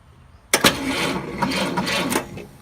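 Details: 1949 Styleline no-start, with a rebuilt starter and new solenoid, the solenoid jumped directly and the car's harness bypassed. A click, then the starter grabs and spins the engine steadily for about 1.5 seconds; it turns over fine. Normal cranking.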